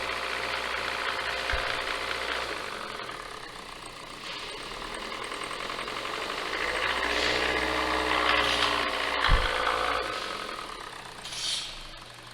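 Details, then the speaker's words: 2017 Hyundai Elantra idling after CVVT, camshaft and timing chain replacement, with timing codes and metal debris on the oil control valve; oil and filter changed, oil pressure in spec. Light fast metallic ticking from valvetrain/timing chain cover area, not bottom end. "Okay, so our noise is coming more or less on this area here, on the valvetrain, not like a bottom end noise."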